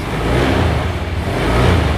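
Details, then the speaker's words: 2021 Honda Scoopy smart-key scooter, started with the brake lever pulled while pressing the starter: a low, steady putter with even loudness and no knocks or rattles; it idles normally. "Hai menghidupkan starter kita tarik tombol rem ya 21 ya kanan atau kiri terserah sambil di starter Hai nah engine hidup Guys"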